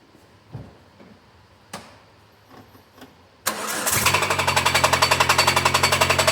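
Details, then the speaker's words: Peugeot 205 XR after years in storage, alternator belt removed: engine catches and settles into loud, even knock about four per second; flywheel or starter motor not disengaging suspected; engine knock. "well it's not the alternator it sounds like flywheel then in that case flywheel or starter motor is not disengaging properly"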